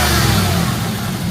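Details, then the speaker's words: Third-gen Camaro small-block Chevy V8 revved after timing set to about eight degrees: deep even rev with steady low rumble, no misses or rattles, much better than before; healthy revving after timing fix. "oh yeah much much better all right so uh it seems to run pretty good"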